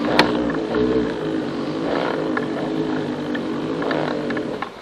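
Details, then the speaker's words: Kayak pedal propel drive in reverse: a rough, chattering grind with sharp irregular clicks. The propeller shaft moved in and out because a bolt in the lower unit had not been tightened down. "This video's for you if your propeller drive makes a chattery grinding noise whenever you're backing up and it sounds a little bit like this."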